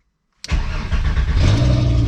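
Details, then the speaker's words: VW Golf Mk3 with VR5 swap, start after coolant leak and sensor repair: engine fires at once and settles into a steady even low rumble, no knocks or misses; healthy start. "Woo, she sounds good. All right, boys, here we go. So far, so good."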